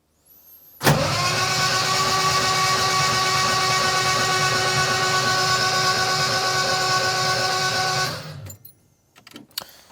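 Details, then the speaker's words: Jaguar XJC after rebuilt cylinder head install, spark plugs removed, a little ATF in each cylinder, fuel pump not yet running: about seven seconds of even starter whirr, no grinding; engine spins over freely. "and it does we don't have a functioning oil light or oil pressure gauge"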